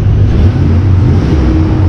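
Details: 2001 Chevy Silverado truck after fuel pump and filter replacement, initially reluctant to rev, now accelerating. Deep, steady engine rumble with a slight climb in pitch as it picks up revs, no stumble or bogging; running normally.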